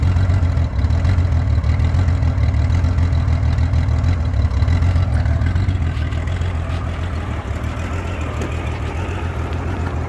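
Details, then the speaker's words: 1989 Honda Goldwing GL1500 motorcycle, 115 (thousand), warm, after timing belts replaced and carburetor cleaned: low uneven idle bouncing about three or four times a second; also surges on highway, loses power on hills. Rough idle, cause unknown. "But it's doing that bounce thing, and I looked up rough idle and I can't figure it out."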